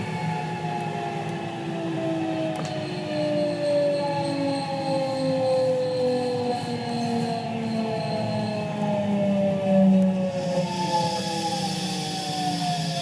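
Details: JR West 207 series 1000 T17, recorded aboard KuMoHa 207-1037 (Toshiba GTO inverter), Tokuan–Kōnoike-shinden, iPhone 5s: two sets of motor tones fall in pitch slightly apart and clash, as the Nishi-Akashi/Shin-Sanda-side inverter modulation is out of step with the Kyoto/Kizu side.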